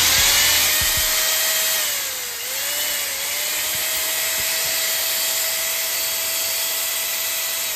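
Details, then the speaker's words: Bosch mixer grinder after repair of seized armature bearing that caused loud noise, reassembled and run: smooth steady whine holding one pitch with one brief dip, no rumble or grinding; runs free, noise gone. "Okay free గానే ఉంది కదా sound ఇది ఏమి రావట్లే okay అదన్నమాట"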